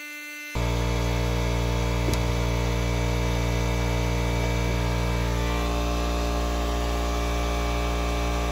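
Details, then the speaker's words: Craftsman 120V 30-gallon 6HP 15A compressor running on a 24V 2400W hybrid inverter/charge controller: a loud, even, deep motor drone with a steady pump chug. It runs normally under load up to 170 psi before the regulator cuts off. "okay just reached peak pressure went up to 170 psi before the regular regulator cut it off"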